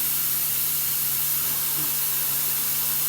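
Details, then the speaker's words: MCI MC5 coach after new air lines, releasing the parking brake: a steady, loud hiss of escaping air with no rhythm, a brake air system leak somewhere on the left side. "Actually, it sounds like it's leaking. Yes, we have a air release leak somewhere on the left."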